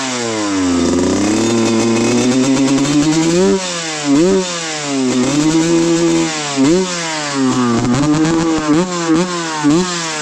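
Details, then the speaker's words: 1995 Suzuki RM125 two-stroke after a shop got it running (previously ran super rich on 180 main/52 pilot and wouldn't idle): crisp buzz climbing and dropping cleanly through repeated blips, quick revs, no bogging; healthy. "I'm going to leave you guys with the nice sweet sound of this RM125 and I'll see you guys in the next video."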